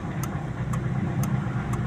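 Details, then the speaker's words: Carbureted Toyota Corolla twincam idling cold at about 900 rpm while the engine warms: a steady, low, even idle with a faint light tick. Emission control module drives the carburetor idle solenoid, meant to work only below 2000 rpm. "Nah, ini idle nih. Stasioner di RPM 900 kurang lebih ya."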